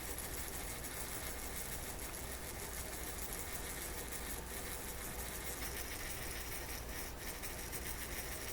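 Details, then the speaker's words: Toshiba RC-803F clock radio flip-clock motor, being restored after it stopped working: faint, constant buzzy rattle as it picks up speed, noisier than it should be; a worn-out bearing is suspected. "Getting a little noisy. Worn out bearing. Hear it?"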